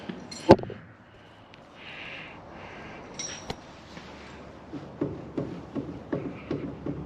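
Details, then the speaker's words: Slow hand-turned farm machine assembly gives a steady dull clunk about three times a second; owner believes the top bearing is worn and plans to tear it apart; worn bearing knock, unconfirmed. "I believe it's this top bearing here that's out um so I'm going to be tearing that one apart"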